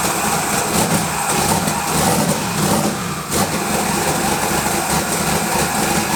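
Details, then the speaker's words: Twin-turbo LS V8 Malibu build, first start: big V8 fires and holds a steady, even idle with a few throttle blips, no knocks, ticks or misses; smoke was residue burning off from manifold work. Normal idle. "That was incredible. This thing sounds like, there's no camera or anything in this thing, so it sounds decent the way it is."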